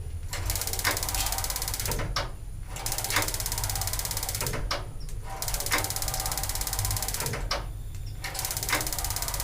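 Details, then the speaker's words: LPG gas water heater with new regulator and very long hose, after tapping the regulator head: rapid ticking bursts of a couple of seconds with pauses, no burner roar; igniter repeated because the module shuts off after 8 seconds without flame. "Maksudnya kalau tidak kita ulang-ulang, modul ini kan punya timer. Jadi kalau 8 detik nanti tidak ada api, dia akan nutup."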